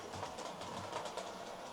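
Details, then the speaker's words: Hornby R2730 LMS Stanier Class 4P model loco on the layout after repair (intermediate gear filed and repositioned): soft even whirr, light steady wheel clatter, no binding; ammeter a steady 100 mA, fault sorted. "What's the ammeter saying? A very steady 100 milliamps. I think we've sorted it."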